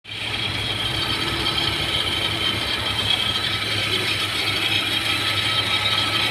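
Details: Car with codes P0190 and P1086, not revving, engine shaking: steady high-pitched hiss and whine over light idle that does not change; noisy fuel pump.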